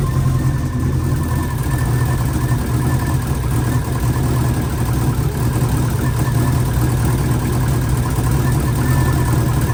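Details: Freshly installed engine in an 04 Subaru, first morning run after filling oil and coolant and bleeding overnight: deep, steady idle rumble with an even low beat and no knocks, misses or hunting; normal idle. A coolant leak was later believed fixed at a cylinder-4 cooling-mod fitting.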